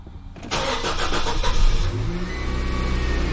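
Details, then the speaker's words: 2014 Nissan Frontier 2.5 four-cylinder automatic, start after spark plug and intake manifold gasket replacement: brief starter whirr, catches at once and settles into a steady even idle, no misfire; normal start. "in this mood no noise I mean no in July no misfire [Music] start right up excellent"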